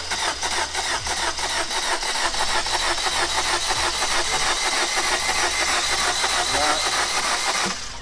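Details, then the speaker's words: 2014 Vauxhall Combo 2000 van, about 89,000 miles, non-runner: starter spins the engine fast and light, about three beats a second, with no firing; cranks too easily; low compression suspected, not confirmed. "seems to turn over too easy sounds to me low compression though"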